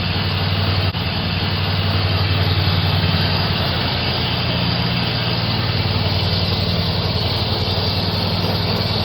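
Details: Hustler Raptor zero-turn mower (2017, five seasons' use) running after jumping the solenoid to start it: steady, even engine at constant speed, no misses or knocks; running normally.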